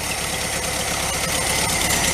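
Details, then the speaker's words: 1974 VW Thing, first start after being donated: an uneven, lumpy idle with a ragged, hissy clatter; runs rough. Owner checks for leaks and plans a valve adjustment; cause not confirmed. "things sound terrible taking a quick look for any leaks shouldn't be that's all under vacuum"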